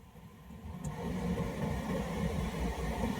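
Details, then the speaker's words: Suzuki Carry 1.5 gas utility van after evaporator cleaning and fitting a cabin filter. The blower had been very noisy with almost no airflow. Airflow now builds smoothly over a low engine idle with no rattle or whine, and the blower is quiet. "Blower. Oh, lumakas yung hangin, no? Wala nang ingay."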